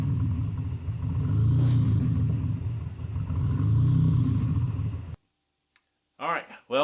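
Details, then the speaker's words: 1987 Nissan 300ZX 2+2 with new 3.5in stainless exhaust, revved to about 3,000 rpm in the garage once warm: deep, slightly raspy note swelling with two revs then settling, smooth, no ticks or rattles; normal exhaust. "I only revved it about 3,000 RPM, but it sounds good. Nice deep tone."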